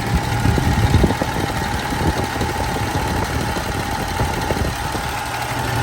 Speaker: much better and if we actually move it around no more noise that's how you do it guys thanks for watching